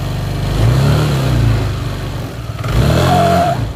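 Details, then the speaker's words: Yamaha Aerox 155 scooter pulling away after a speed bump or after hard braking then throttle: a brief moaning, animal-like squeal rises from the CVT, cause not yet diagnosed. "Oh ya suara ini timbul pada saat kita habis lewat polisi tidur ya ataupun habis jalan kenceng ngerem kemudian kita gas lagi maka keluarlah suara seperti itu"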